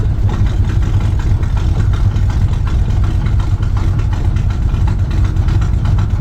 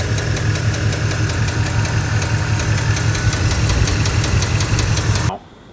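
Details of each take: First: Truck engine after camshaft swap for an oversized cam, mechanical advance only, timing about 18°, stock torque converter: steady, deep, slightly loping idle that holds without stumbling or stalling; normal idle. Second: Truck engine at idle with a dropped lifter (lifter failure): loud, regular metallic ticking from the top end, about five per second. The top end is to be torn down to check the lifters and cam bearings and to replace the camshaft.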